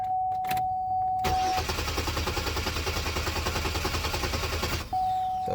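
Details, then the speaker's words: 2002 Chevy Malibu, towed in: starter cranks steadily about 2.5 beats a second for four seconds, never fires; started briefly on starting fluid, so fuel delivery issue suspected, fuel pump relay to be tested; crank no start. "so I believe this one has a fuel delivery issue because when the owner was cranking it after the tow TR dropped it off it sounded like a crank with no fuel"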